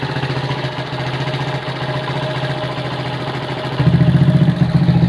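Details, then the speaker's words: Honda CB100 K3 engine with CDI and GL Pro/Mega Pro carb on an aluminium manifold without insulator, before refresh; compression still good, fast uneven idle with busy mechanical clatter, noisy engine, carb idle won't come down. "Untuk suara mesin agak berisik. Terus untuk karbu idle-nya tidak bisa turun."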